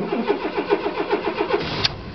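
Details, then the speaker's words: 1989 GMC S15 Jimmy, 102,000 km, cold start at about -10 to -12°C, battery kept on smart charger, summer oil: brisk even cranking about five pulses a second, catches cleanly and runs; healthy cold start. "it's minus 10 out right now the Hood's still frosted over it was minus 16 tonight oh I mean last night sorry so it runs nice the oil pressure is not too high"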